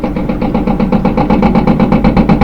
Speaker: as it's bouncing around it's picking up speed and usually when it gets up to high speed is when you really notice it especially if you have some some clothing in there you get this banging sound